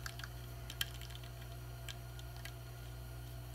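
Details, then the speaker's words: A fret rocker held flat in front of a suspected fret on a guitar with fret buzz gives faint, sparse light clicks over low room hum as it tips; the clicking shows that fret is high. "So basically I got a bad fret because of that clicking noise."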